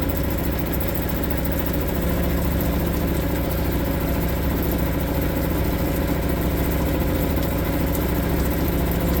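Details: Suzuki DF 2.5 HP outboard, warm-started without choke in neutral after a no-start blamed on the low-oil sensor; steady, even putter at idle with no misses or surging. Normal warm idle.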